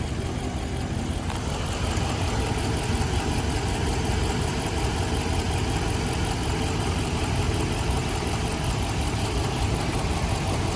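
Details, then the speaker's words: 2016 Ram 1500 5.7 Hemi V8 idling with a deep, uneven chuff and steady stumble from a cylinder #3 misfire; it also misses at around 2500 rpm. The misfire persisted after all coils and 16 spark plugs were replaced. "they're sitting here just a mission at idle now on number three"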